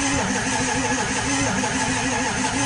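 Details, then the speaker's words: 2002 Ford F250 7.3 Powerstroke diesel, sat for two years, glow plugs on, temperature gauge reading hot, batteries getting low: steady, soft cranking for a few seconds with no firing; owner suspects weak compression; crank no start. "Oh, if you ask me, it doesn't sound like it's got the best compression, honestly."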